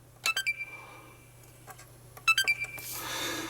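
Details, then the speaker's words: Xbox One S bought as eBay junk, with no hard drive fitted: on the power button press it gives short high beeps, but no light comes on and the fan doesn't move; no boot, and the owner suspects the missing hard drive. "okay it makes a noise and there's no light [Music] that's very strange"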